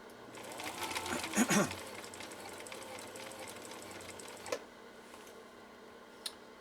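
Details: 1960s Husqvarna Viking 6440 Colormatic sewing machine, after new parts and many adjustments, sewing in slow gear. A short, soft run of even stitching, smooth and quiet with no clatter or binding. Normal sewing.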